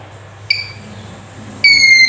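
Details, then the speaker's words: Handheld metal detector in audio mode after repair: two clean, high-pitched beeps, one short and one longer, as metal nears the detection coil; the detector alerts properly. "अगर ये audio mode पे है तो ये इसका जो beep है इसकी ये ऑन होगी।"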